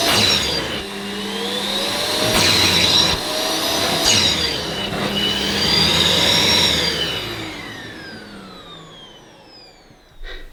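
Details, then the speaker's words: Ufesa Zelmer 4-in-1 vacuum's suction motor, small head on rubber-backed carpet during wet pickup: whine swings up and down every couple of seconds, the motor cutting in and out because the carpet blocks the nozzle. "Now you could hear the motor cutting in and out as it does when the end of the nozzle is blocked, but that's because this is a rubber backed carpet, so it was blocking off the suction."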